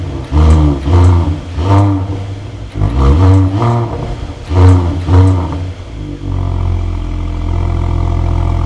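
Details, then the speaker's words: Mercedes-AMG GLE53, first start after full engine rebuild and refit: fires up instantly with barely audible starter, several sharp throttle blips rising and falling cleanly, then steady even idle; warning lights remain, owner suspects from parts stolen from car. Normal start and rev. "Like I said, it's weird. You don't even hear the starter motor. It just fires up like clockwork. Boom. Pretty awesome."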